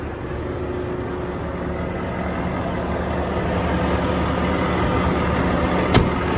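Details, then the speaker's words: 2018 Volvo VNL630 truck, D13 diesel with iShift, fully hot at 170°, raised fast idle with oil filler cap off to show no blow-by; even steady drone with smooth low rumble, no misses or puffing: healthy engine. "I'm going to put it up on fast idle the engine is plenty hot our temperature is 170."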